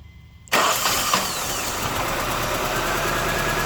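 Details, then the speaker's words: 1999 Honda CR-V running badly and missing, compression test on number four cylinder (plug brownish, others white), reading about 50: steady cranking whir that never catches; low compression in one cylinder. "all right whoa whoa man number four is like 50 or something man ain't it let's check that again to make sure that's right man this is way too low this is not enough for the car to run correctly"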